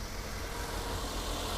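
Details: Older Toyota Avanza after replacing the coolant, valve cover and clutch. Steady, even idle with a low hum under surrounding hiss and no knocks or rattles. Normal idle.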